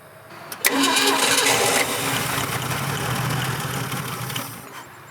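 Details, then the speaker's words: 1967 Ford Bronco parked in the woods since 1996, about 26 years: starter cranks evenly but it never fires; owner suspects no fuel delivery, carburetor considered shot and needing a rebuild, throttle arm seized. "i'm gonna try something dangerous here [Music] i don't think it's getting any fuel gentlemen"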